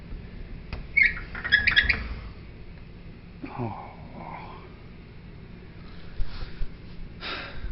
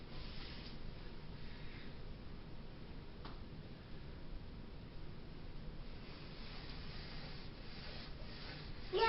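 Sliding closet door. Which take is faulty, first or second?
first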